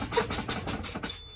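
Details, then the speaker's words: Manual truck air brake inspection, pumping service brakes until pressure falls to around 60 psi: rapid pulsing buzz, about six pulses a second, cutting off after a second, with two red lights; low air pressure warning buzzer working properly. "Let me see, 2 lights, 2 red lights, and the buzzer. I see it and I hear it. Low air pressure warning signals are working properly."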